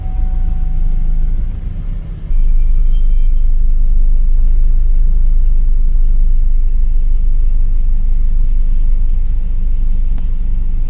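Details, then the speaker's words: 2008 Chevrolet Silverado after lightning strike caused no-crank, no-communication; failed module replaced and programmed; deep, steady rumble, no misses, knocks or surging; starts and idles smoothly. "I will start it and show you right now. My car has started now."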